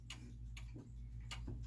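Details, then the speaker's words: German wall clock, case shifted off level: tick and tock at unequal spacing, short gap then long, so the clock is out of beat and stops running. "now it's now it's out of beat right it's sort of a tick to and actually the clock has stopped because it's out out of beat and it can't stay running that way"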